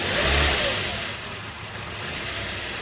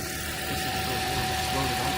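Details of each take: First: 2010 Toyota Corolla, after repair: the engine fires, revs briefly with gas, then settles to an uneven idle; owner says every couple of months it fires and dies on start and needs cranking with some gas, a hard start. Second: 2010 Toyota Corolla, 213,000 miles, back running after a no-start (battery replaced, alternator suspected): even, steady idle with a faint constant whine and no knocks or misses. Normal idle.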